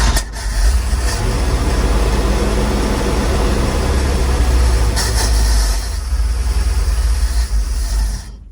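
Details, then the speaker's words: 1948 GMC cabover truck after years sitting, started on button with a little choke: deep loud running that sags and stumbles while cold. Choke has no cable and opens immediately with airflow; carb popped flames, needs rebuild. "Little cold-blooded still. That choke doesn't have a cable hook to it, and it opens right away with the airflow."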